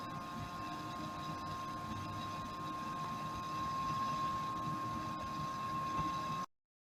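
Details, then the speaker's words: Sunbuck TAV 6188BT amplifier's internal DC 12 V cooling fan giving a steady whirring hum with a thin constant whine, loud because it spins at high speed. "if you on the amplifier you will hear the humming noise of the DC fan inside the amplifier so loud this noise is so disturbing by interrupting my listening pleasure"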